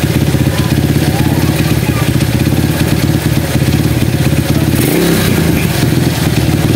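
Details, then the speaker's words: Honda CB100 single-cylinder motorcycle, long unused, first start after cleaning the carburetor parts: steady thumping idle then a quick throttle blip that picks up cleanly; runs normally without misses. "jadi semua parkitnya sudah E saya bersihkan dan saya coba hidupkan ternyata mesin ini Sudah apa namanya mesin ini masih normal"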